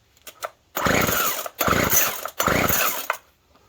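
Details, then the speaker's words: Poulan Pro Twist and Edge TE450 string trimmer after priming: three rasping pull-cord bursts, each dying to silence without firing, no-start; no fuel seen in the fuel line, owner suspects fuel filter (looked clean) or a blockage. "I don't see anything coming through the fuel line. It could be that fuel filter's no good, but it looked pretty clean."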